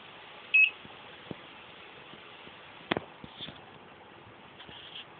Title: wireless alarm beeping